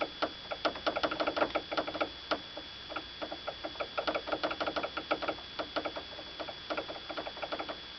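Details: Toyota Avensis T25 knock in suspension area: sharp irregular light ticks and taps, several per second; brake line left unfastened, factory defect with missing rubber grommet, rattling against the body.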